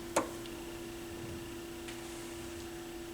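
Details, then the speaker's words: Pioneer PL-707 turntable: single click, then a faint steady motor hum with no platter drive; belt likely missing, with quartz lock and start/stop lights pulsing. "motor sound over here likely the belt is gone"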